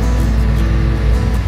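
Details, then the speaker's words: Varro Intel LGA 775 CPU cooler fan (aluminium heatsink) on a repaired PC: a soft, steady, quiet low hum at low speed, with music behind. The fan's rpm has not yet risen, perhaps because the processor is not yet hot; operation is normal. "suaranya tidak bisingnya sobat-sobat suaranya bagus karena Um panas mungkin prosesornya jadi putaran rpm nya belum naik"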